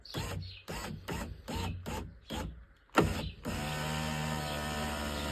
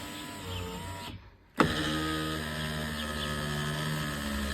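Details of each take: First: Volvo V50 power window after repair of the regulator squeak, with the glass reinstalled: the window motor raises it with an even, steady hum and the squeak is gone; a slight noise remains because the motor itself is a bit tired. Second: Volvo V50 power window after regulator squeak repair: steady electric whir with even drone and slight strained tone as the glass rises; squeak gone but window motor itself is worn.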